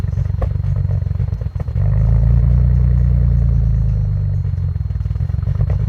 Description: Rough idle 15*F cold start, 2001 allroad, f21 turbos, base stage 3 file, 85mm maf